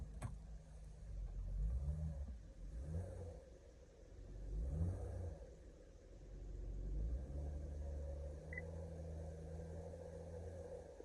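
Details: 2013 Honda Pilot Touring 3.5 V6 after fixing the cylinder 3 misfire (code P0303) with the coil reinstalled: revs blip cleanly a few times, then it holds a smooth, steady low idle with no stumble, running normally.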